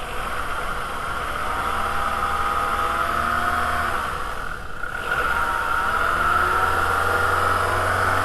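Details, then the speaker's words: VW A3 2.0L ABA after timing belt replacement: steady even idle hum with no squeal or chirp; the earlier squealing noise is gone. "After belt replacement, we verify that the noise is gone."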